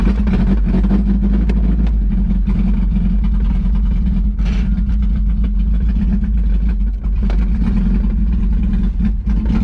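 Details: 1991 Mazda Miata 1.6 L after coolant refill, around-the-block drive: low, uneven idle dipping and sagging near stalling; won't idle, wouldn't rev past 4,000 rpm but runs and drives. Owner suspects mass airflow sensor.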